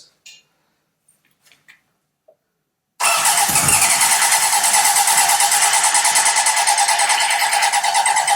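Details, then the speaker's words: 1978 Honda CB750 engine and carbs running on a stand, likely not run in over 10 years: the starter spins it steadily at about three turns a second without catching. It cranks but won't fire; owner suspects too much air and holds the choke in. "oh so close there think too much air is getting through so if I hold this all the way in to reduce the amount of air coming through that should then fire oh so close"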